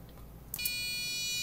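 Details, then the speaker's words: Arduino RC car: steady high-pitched buzz from the relay, not the motor, under low-value PWM drive, heard even when the motor stalls; changing the PWM frequency fixed it. "and i can hear the motor makes a buzzing noise but that's not the motor it's actually just the relay"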